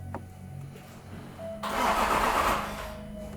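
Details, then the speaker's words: Range Rover L405 3.0 L TDV6 diesel, first start after a home rebuild for engine knock: short burst of cranking under two seconds then it cuts without catching; battery suspected despite charging, trigger wheel possibly at fault; crank-and-cut no-start. "So it cranks a little bit and it cuts."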